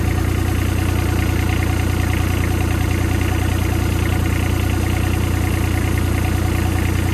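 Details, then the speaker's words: Develon excavator after new hydraulic pump and valve slice fitted: steady even low diesel idle with a smooth beat, no grinding or whine; sounds okay so far, some drips being checked. "Sounding okay at the minute."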